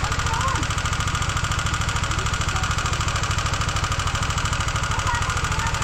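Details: Honda CBR150R engine at idle: sharp, even metallic tapping about three per second over the idle, a top-end knock; engine later opened showing sand-like debris inside; cause not confirmed.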